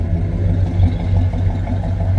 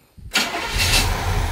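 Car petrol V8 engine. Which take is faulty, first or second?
first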